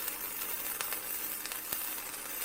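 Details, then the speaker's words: Vevor MIG 130 cheap flux core welder, heat set around 65, flat beads: smooth, fitting, even frying crackle with small regular pops and no bangs or gaps, the steady arc sound you want. "you hear how smooth and fitting it is that's the sound you're looking for you want to smooth steady from"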